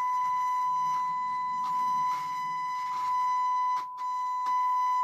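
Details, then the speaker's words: Telefunken HA 750M amplifier through speakers: steady test tone crackles, wavers and briefly drops out from a dirty, poorly contacting potentiometer; needs cleaning and servicing. "drżenie dźwięku spowodowane niestykaniem tego potencjometru. Też czeszczy. Słychać jak trzeszczy. Słabe potencjometry."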